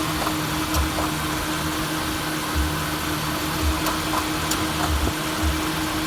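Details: 2000 Honda CR-V petrol engine idling: faint, intermittent on-off click from the front corner of the engine, starter-like, cause unknown.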